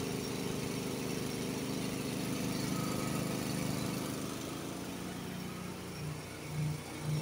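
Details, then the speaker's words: Honda HS80 snowblower, warmed up, fast throttle set at about 3000 rpm instead of the 3600 spec, first gear in snow: steady drone that bogs lower under load, throwing snow only 12–15 ft. "it's kind of Bing down a little bit can you can you hear the difference"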